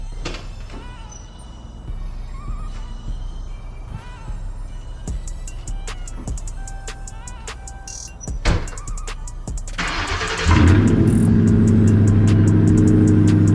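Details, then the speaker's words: Crown Vic V8 cold start after coming back from the shop, fixed: brief starter crank, then catches into a strong steady fast idle under music; sounds healthy. "I gotta go make a run, so I figured it'd be perfect time for us to get a cold start on the Vic."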